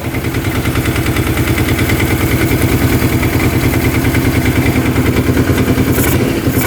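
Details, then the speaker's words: 2005 Kawasaki Prairie 700 twin ATV, which fired up instantly: steady, even low thumping at a settled idle with no misses or knocks. Normal idle; no oil from the crankcase breather. "I don't see any oil coming from the car. She fired up instantly."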